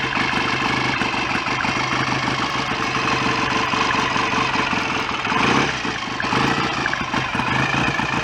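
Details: BSA A65 twin after rebuild, rotor moved on its taper to advance the ignition further; even, regular firing pulses at steady idle, no knocks or rattles, oil circulating, no smoke. Normal idle.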